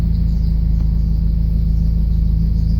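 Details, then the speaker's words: Honda F20B engine in an H2B swap kit: steady, even cold idle with a low, smooth rumble and no knocks, ticks or misses. Idle rises once warm; car is low on gas. Elsewhere a pulley squeaks from debris and crank seals leak oil. "which is okay with me it goes up after it warms up a little bit I mean it's still cold and I need gas so yeah"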